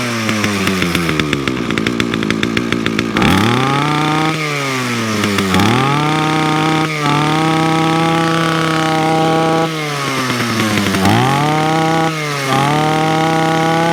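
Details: Titan lawnmower cold start after priming, moved from choke to mid choke and then off choke while warming: starts and revs up and down repeatedly, then settles into an even drone; running normally.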